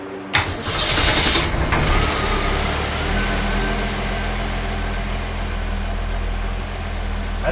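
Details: 1965 Ford Falcon, newly rebuilt engine after a year of restoration, start-up: cranks, catches within a second and settles into a steady, even idle with no knocks or misses; sounds healthy, before timing was set.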